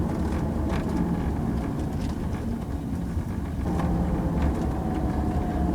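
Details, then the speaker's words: 2001 Jaguar X-Type after rear shock absorber change, driving an uneven lane: steady tyre and road rumble, no knocks or bangs from the rear; banging gone; noise was traced to the shock mount. "it's very lumpy and it gives a good approximation so every terrain being about a mile and I'm just not getting that banging noise anymore that is so pleasing"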